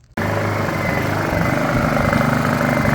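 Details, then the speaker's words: Honda EU2000i generator, sat about three months with varnished carburettor, in eco mode before carb clean: catches, then its pitch wanders and swells unevenly without settling; surging idle from clogged carburettor jets. "so I got it running finally this what it does when it's on [Music] eco surges can't find a happy place"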